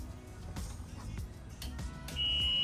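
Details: Club Car Tempo golf cart after full 76V AC Navitas conversion, Skunkworks battery, testing forward/reverse switch: steady high-pitched buzz holds once reverse is selected, over background music; reverse warning buzzer working normally.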